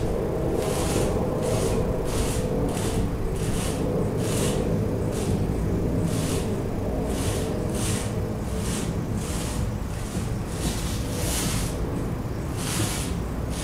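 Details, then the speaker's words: Peugeot Bipper, sharp knocks at the front about once a second as the steering wheel is turned left and right, heard with the engine off and again with it running; front steering or suspension knock. "تو باش نشغلوا السيارة وندوروا الديركسيون يمين ويسار ونشوفوا. سمعناها مع بعضنا الصوت هذا، وهي سيارة شغالة"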